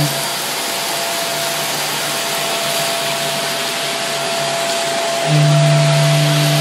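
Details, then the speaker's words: Greenote corded bagless stick vacuum (18 kPa suction, HEPA filter) held up off the floor: thin steady whine, then a loud low hum jumps in and holds; odd harmonics that go away when the head is on the floor, cause unknown. "But up in the air, it does have a weird kind of harmonics thing going on."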